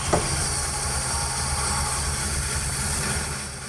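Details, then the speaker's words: 1967 Chevy Biscayne sedan V8 from a junkyard, running right after first start on a fresh battery after basic fluid check; steady, even low rumble with no knocks or rattles, smooth and quiet. "It's fired up. It's made minimal noise."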